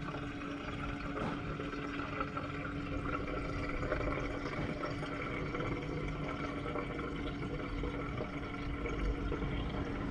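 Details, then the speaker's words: K20-powered Honda Integra DC2 racecar, fuel system being fixed after clogged injectors from tank debris: small lift pump runs with a steady hum as fuel trickles into the surge tank, waiting until fuel returns down the return line; normal filling. "we'll get you on close and hopefully you can hear that surge tank filling up so what I'm doing is I'm basically just waiting for it to fill"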